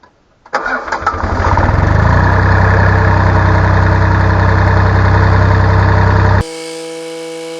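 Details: Mitsubishi K3E diesel in an excavator, after installing a new water pump: cranks briefly, catches within a second and settles into a steady, even idle with a clean beat; normal start and idle.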